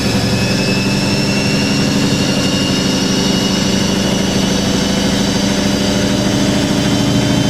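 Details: Hoover A3060 Electronic 1100 washing machine, almost 47 years old, spinning a load of vintage bedding and towels at 1100 RPM: steady, even high-speed whirr and smooth drone, no knocking or rumble, with the machine trembling. A normal, healthy spin.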